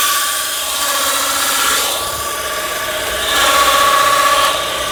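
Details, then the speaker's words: Peugeot 308 arriving on a tow truck, running, clutch pedal pressed: steady gritty rubbing hiss with a faint ringing tone over the engine; worn-out clutch release bearing. "neném tá pisando no pedal de embreagem já tá fazendo muito ruído"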